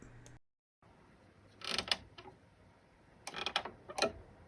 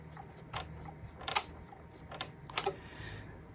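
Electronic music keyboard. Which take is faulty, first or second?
first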